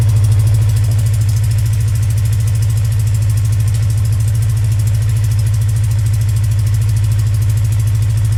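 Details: Motorcycle cold start after sitting for 4 months, idling steadily with a sharp tick on each exhaust pulse from an exhaust leak.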